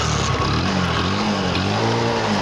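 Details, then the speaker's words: Discover DTSI bike, after draining old petrol from the carburettor and fuel tube and starting on fresh petrol, picks up cleanly and revs freely with a strong, even note; revving normally. "பார்த்தீங்கன்னா bike நல்லா race ஆகும்."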